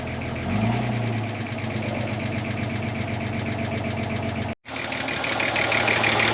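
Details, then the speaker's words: 30-year-old Ford Falcon six-cylinder, recovered from a paddock after sitting, warming up on all six cylinders; a light quick tick creeps in over the idle, possibly a lifter tick, source not pinned down. "There's another little ticking noise creeping in there too."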